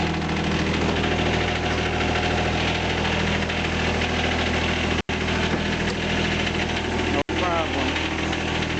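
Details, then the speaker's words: John Deere 455 diesel tractor, cold start at about 2 degrees with heavy snow, started after the glow heater cycled: steady, even diesel clatter holding a constant idle with no misses or knocks; healthy engine. "Here's my John Deere 455 diesel. I'm gonna fire it up here in a minute, cold start, see if she'll fire up or not."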